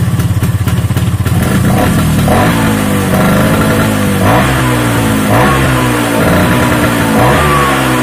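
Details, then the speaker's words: Vespa two-stroke after engine split with new internals and mixed racing gearbox: revs up and down cleanly with even blips, no knocking or grinding; engine runs smoothly, extra rattle blamed on stand lacking a damper. "nah seperti itu suaranya untuk suaranya sih halusnya enggak ada Ashar Bagaimana ya layaknya motor habis di belah mesin dalemanya digantiin menurut saya sih halus"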